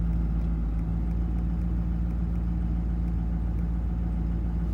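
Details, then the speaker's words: Ford 6.4 diesel dump truck on a drive: steady drone hangs above normal idle and revs climb further without the pedal pressed; the accelerator pedal reads about 3–4.5% and won't return to zero, a high idle. "okay listen to it it just wrapped up [Music] it's still wrapped up it's still wrapped up no it just revved up more"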